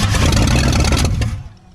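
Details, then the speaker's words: 1959 Ford Galaxie Fairlane 500, 352 V8, sitting for years in a field: catches and runs rough and ragged with uneven clattery firing for about a second, then stumbles and dies; timing to be adjusted, cause unconfirmed. "we're gonna adjust on the timing a little bit and see if we can make it run a little bette"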